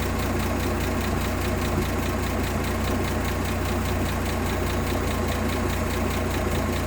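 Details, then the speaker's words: 1958 AMC Rambler Super with Weber carb, idle screw turned down from about 1,800 rpm: low, lumpy idle with uneven pulse and hunting beat, bouncing more the lower it is set; unsteady idle from idle speed set too low. "yeah now it's kind of bouncing around a little the more i turn it down the more it's bouncing around"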